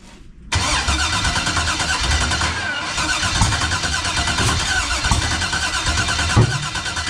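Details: 1989 Chevy box, no-start after new starter, external fuel pressure regulator, fuel filter, return line and swapped cam sensor outside wires, fuel pressure built: steady cranking, faint stumbles, never fires; owner suspects sensors.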